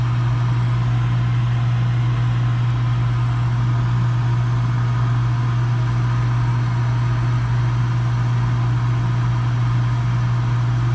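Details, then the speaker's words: Gas package unit, newly replaced draft inducer motor (old one was extremely loud, like a lawnmower), new hot surface igniter and cleaned burners: constant low hum, no rattle, scrape or wobble; inducer running quietly, normal. "There it goes. Doing much better than the last one."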